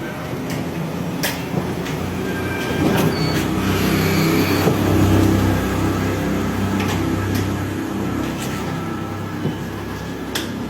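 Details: Roller shutter door after repair fixed its noise, which an earlier installer had failed to cure twice. Steady low rolling rumble with only a few light clicks as the shutter travels; runs smoothly and quietly.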